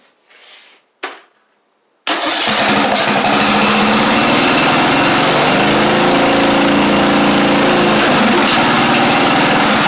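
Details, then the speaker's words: Craftsman YT4000 riding mower with a swapped-in replacement engine, since the original 24 hp Briggs appears to have run low on oil. The starter clicks, then the engine catches and settles into a steady but slow, lazy idle; the idle speed is set too low. Something in the muffler is burning out. "I think uh I need to tighten this up a little bit cuz we got it a little bit too low on the idle."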